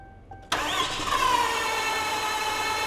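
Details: 6.7L Cummins no-start: starter spins the diesel fast and evenly as if there's no compression, with no firing, while rockers are seen moving; cause not yet found at this point.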